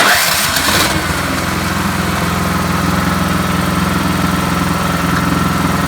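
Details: Troy-Bilt (MTD) Storm 3090 XP snow thrower started with the plug-in electric starter and no choke. The starter cranks briefly, the single-cylinder engine catches within a second and settles into a steady, even idle; starts and runs normally.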